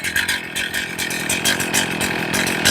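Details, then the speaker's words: Chainsaw after leaning the low-speed carburettor screw in slightly. Tach reads about 2,700–2,800 rpm and the buzzy idle wavers slightly, still a little low, so it needs a touch more leaning. "So right now I'm at 28, 27, 27. It's still a little low."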